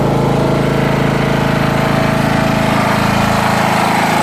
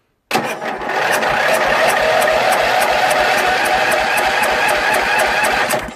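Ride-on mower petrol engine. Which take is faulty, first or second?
second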